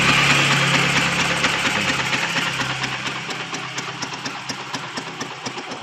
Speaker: ไม่มีดังก๊อกๆกๆกๆอะไรนะครับเสียงเงียบเลยนะ